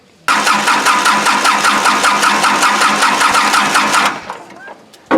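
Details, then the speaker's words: Kubota L2350 diesel tractor that died from water in the fuel tank, bleeding injector lines after cleaning and new fuel: steady starter churn about 2.5 beats per second for four seconds with no firing; air still in the lines. "when you finally get all the air out it'll fire but sometimes it takes time to do it"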